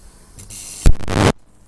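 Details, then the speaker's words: IR2153D half-bridge flyback driver on 170 V DC drawing about 500 mA, under an amp, small flyback: sharp crack then half-second loud sizzling buzz as a spark is drawn; arcs normally, though this flyback may not like arcing. "I don't think this is the kind of flyback that likes arcing very much though"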